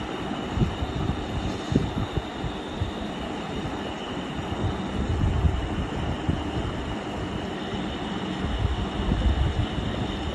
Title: Crompton fan bearing and humming noise 2 @Macky-y7l